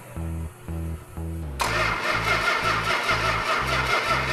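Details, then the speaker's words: 440 engine with the original six-pack carburetor setup, fuel pump primed: slow, even starter chugs about two per second, drowned by loud noise, never fires; no spark, blamed on a faulty coil. No spark from faulty ignition coil. "we got no spark the fact that the 440 didn't fire right off is because of a faulty coil"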